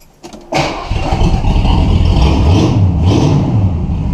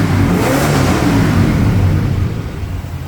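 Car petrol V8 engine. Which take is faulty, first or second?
first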